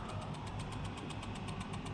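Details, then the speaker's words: 1991 Ford Scorpio 2.9 V6 Cologne, long unused and not starting, ignition on with a relay removed: quick steady ticking about eight times a second over a low hum; some component clicking, source unknown. "okay I still hear some clicking noise I don't not sure what it is"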